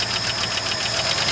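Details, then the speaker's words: 1972 Ford F250 4x4 Highboy V8, revived after sitting 15+ years, oil full, idling not hot yet (thermostat maybe just opened): sharp, fast, even top-end tick about eleven a second; stuck lifter suspected, not confirmed. ">> Okay. Yeah, it's going it's a little click clacky."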